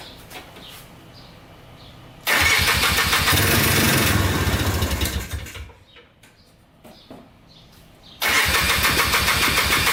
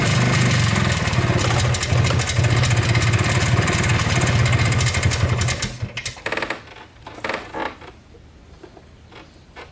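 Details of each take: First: Polaris Trailblazer 250cc two-stroke quad, first start after cheap eBay piston/cylinder top-end kit, rebuilt carburetor and new oiled air filter: fires quickly, settles into fast, crisp, even ring-ding on choke, blipped once; normal start and idle. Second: Polaris Trailblazer 250 2x4 two-stroke quad before top-end rebuild: uneven, stumbling firing around 220 a minute that fades and sputters out after six seconds; won't stay running; owner suspects low compression, burnt-out rings.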